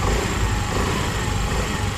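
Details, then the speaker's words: Honda Activa 6G (BS6) just after full engine reassembly, first start: small single-cylinder putter steady and even at idle with no knocking or rattling; sounds healthy; normal idle. "अब हमने इस गाड़ी को start कर दिया है दोस्तों, और इसकी आवाज़ भी बहुत ज़्यादा मस्त निकल रही है।"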